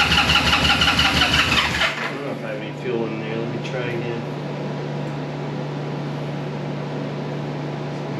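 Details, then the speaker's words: 1973 Honda CB350G twin, dead cold first start right after fitting Mikuni VM28 carb kit, fed from an auxiliary tank: fast starter cranking with uneven pops on both sides, nearly firing but not catching. "yes popping getting close both sides"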